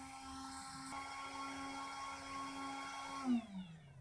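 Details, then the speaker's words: Charsoon Magic Charger core unit under load (LiPo at 1.1 A, two USB outputs at 1.6 A each, single-cell LiPo at 100 mA): small, noisy fan whirs at a steady high pitch, then winds down and stops; normal cooling fan operation. "the fan has just come on now that I'm loading this thing up and you can hear that it's quite a noisy fan uh probably quite effective though cuz it does sound like it's shifting a fair bit of air"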